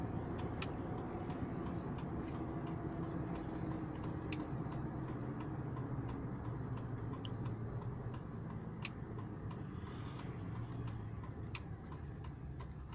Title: 04 Silverado weird noise